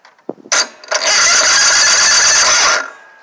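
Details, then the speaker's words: Toro zero-turn mower, Kohler Courage 21hp SV610, head gasket replaced in December and starter new then: with a freshly charged battery, a strong, steady whirring crank for about two seconds with no dragging or clicking; the engine turns over normally. "turns right over. And if I put a little carb cleaner in there, it'll fire up."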